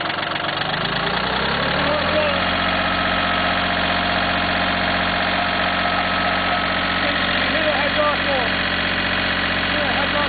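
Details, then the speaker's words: Cub Cadet diesel tractor at idle, smoking, around 48°F: whine rising in pitch as the engine picks up, then holding steady; owner believes it comes from the hydraulic valve block, unsure. Hydraulic whine. "The whining you're hearing is actually coming from that valve block. Best I can tell, that's where it's coming from."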